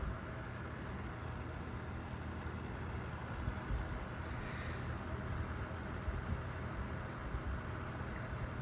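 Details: Vornado Flippi V10 personal fan on speed two (medium): even, quiet airy rush with no ticks, rubbing or wobble; running smoothly and normally.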